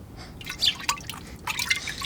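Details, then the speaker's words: Honda K24A2 engine with the intake manifold removed and the Hondata intake gasket found melted: irregular sharp, high-pitched drips, a few per second, as coolant leaks from the opened intake manifold area. Coolant leak. "I mean, you can actually hear the coolant. Damn. Let's try this side. I think something's wrong with her."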